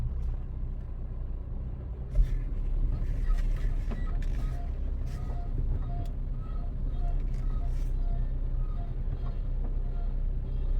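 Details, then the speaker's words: 2011 Honda CR-V AWD, 300,000 km, driving, worse when turning: light rhythmic chirping squeak over engine and road noise repeating with wheel speed; dry, worn staked U-joint on the rear driveshaft. "Hope the camera's picking that up. It sounds like a dry U-joint."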